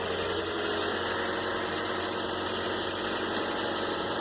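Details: 2013 Toyota Corolla with a no-start complaint, started on jumper cables, likely bad battery: even, steady idle with a smooth hum and no misses, ticks or surging; normal idle.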